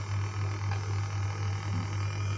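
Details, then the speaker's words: Homemade amplifier in a wooden box: steady low hum around 100 Hz with no music playing, on the left channel only. It comes from the Bluetooth add-on, since a direct phone connection is clean. Amplifier hum. "Jadi, penyebab dengungan bukan hanya power amp, aksesori lain juga bisa menyebabkannya. Misalnya, jika perangkat Anda memiliki kontrol nada, itu juga dapat menghasilkan dengungan."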